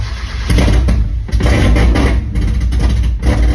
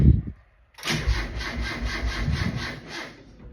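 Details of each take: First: 1.6 Miata engine on Link ECU, first startup after motor install, timing reset with new crank angle sensor, fuel pump regulator fitted, started on another battery: engine catches and settles into an uneven but steady idle with low throbbing beat; normal start and idle. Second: 1.6 Miata engine on Link ECU, first startup after motor install, timing reset with new crank angle sensor and fuel pump regulator fitted: starter cranks sluggishly at about three compressions a second, dragging and uneven, never catches; weak cranking, no start, cause unconfirmed.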